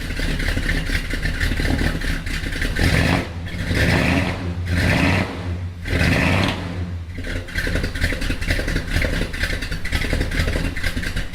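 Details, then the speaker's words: Mopar V8 restarted after fitting high-flow J heads and refitting exhaust manifolds, timing and carb not yet re-adjusted: choppy, lopey idle with rhythmic cam thump and throttle blips, slight exhaust leak noted; normal idle. "well guys it seems as though she's doing a little more thumping now with these though high flow heads"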